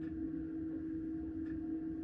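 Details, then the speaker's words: Planar diesel heater in microlite trailer, freezing temperatures, controller at minimum; faint single clicks roughly every 1.5 seconds over steady low hum, fuel pump heard through tube, ticking normally like clock hands. "and if i'm really quiet you can hear ever so slightly the fuel pump noise coming through the tube"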